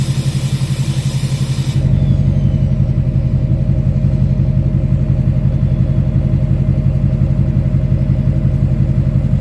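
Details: 2006 Chevy Silverado LBZ Duramax diesel, warm, idling on tune four (DSP5 switch) with new 5-inch straight pipe and flow-through muffler; deep, steady rumble with even low pulse, no hiss; normal diesel idle rumble.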